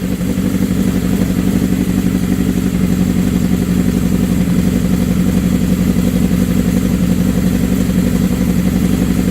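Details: 1979 Suzuki GS750 four-cylinder with rebuilt carbs, first run in over a year: a strong, even beat with crisp throttle blips and a steady idle between them; owner says it is the best it has run in years.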